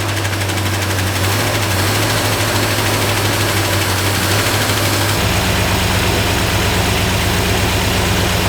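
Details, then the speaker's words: Freshly installed 302 V8 in a 1969 Ford Fairlane at first start, checking for fuel leaks: lumpy, uneven idle with stumbling beat and irregular shake; engine has a miss, judged running on 7 or maybe 6 cylinders. "Yeah, it's got a miss, doesn't it?"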